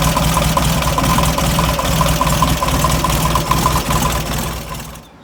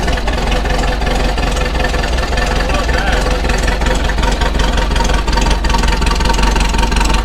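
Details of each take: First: VW Beetle with a 1.5-year-old engine of about 8,000 miles, idling while warming from cold: steady knock of two to three per second that sounded like a rod but came from the failing old alternator. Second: VW Beetle air-cooled flat-four on a cold start after 2-3 days, after replacing the noisy old alternator and the fan and fitting a serpentine belt system; steady low rumble, no knock or belt squeal, running and charging normally.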